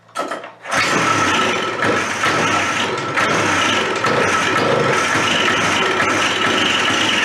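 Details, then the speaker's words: Old Suzuki Fury snowmobile two-stroke, long stored, run with half choke: catches after short crank, then harsh uneven buzz that never settles; misfiring, ignition suspected, not confirmed. "put they're running the same around here maybe we'll give it some half choke that's starting off dismal really"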